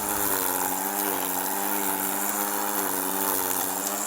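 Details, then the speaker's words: String trimmer running properly with plenty of line fed out after the head was pulled and re-fed; steady, buzzy high-revving drone with a rough growl as the line cuts weeds along edging. "if you hear that growling noise that means you got plenty of line fed out and it's doing its thing whatever was not doing before it's doing"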